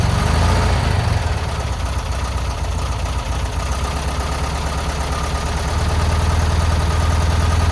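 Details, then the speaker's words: VW Bus engine neglected about 30 years, just revived, exhaust refitted: low, loping idle with an uneven pulse around four a second, surging slightly, almost idling. Rough idle. "It's almost idling. No way. No way."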